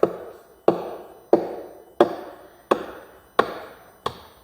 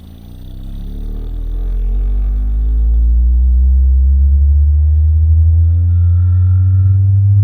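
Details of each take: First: Cerwin Vega AT12 speaker with a cabinet rattle: seven firm knuckle taps on the cabinet side, each dull and quick to die away with no hollow ring, showing a solid panel with no loose joint there. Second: Cerwin Vega AT12 speaker driven by a sweep tone starting near 8 Hz: the deep tone rises in pitch and grows loud and buzzy where a separated cabinet panel rattles at resonance.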